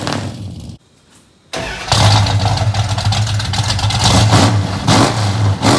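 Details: 1973 Dodge Dart Swinger V8 with newly installed DynoMax mufflers; it catches after a brief pause, then revs with a deep, choppy burble and lumpy cam lope, idle a bit low after months unused: a normal, strong exhaust note.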